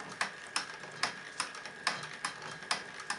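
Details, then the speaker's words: Live-steam model locomotive idle set to minimum, about one revolution per second (60 rpm): light, crisp exhaust ticks about twice a second, slow and fairly even; a very correct minimum idle. "voilà à peu près le ralenti qu'on peut obtenir environ un tour à la seconde ça fait 60 tours minute c'est déjà ralenti très correct"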